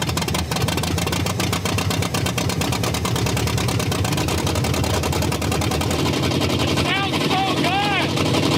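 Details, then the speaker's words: Car's engine running again: lumpy, uneven idle with ragged, stumbling firing pulses. It is running on only four cylinders, about 62% of the engine, and sounds terrible. "It's alive. Well, 62% of it. That sounds really terrible. And it's running on four."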